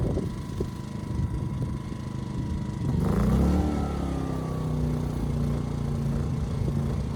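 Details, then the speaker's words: Ryobi RYI2300 inverter generator after adjusting the easy-start knob, previously not turned enough: steady note dips and wavers briefly as load comes on, then recovers evenly; stalling solved, normal running under load. "okay good so stalling issue is solved just wasn't turning the knob enough"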